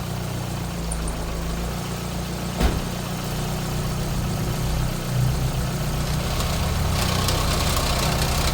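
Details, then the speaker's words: Toyota AE86 with Blacktop 20-valve swap, first start after new Mishimoto radiator installed following water pump failure from clutch fan: steady fairly smooth low idle with one early sharp click, running evenly. "she fires up pretty well huh"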